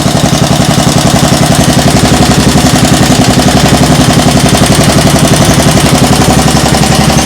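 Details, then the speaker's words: Single-cylinder small engine idling with the throttle handle all the way down; the owner suspects an exhaust leak. Quick, even, quiet low thumping with a steady beat and no misses or knocks. Normal idle. "IT RUNS LIKE A SEWING MACHINE. THIS IS IDLE. The throttle handle is all the way down. It sounds fine. It's really quiet."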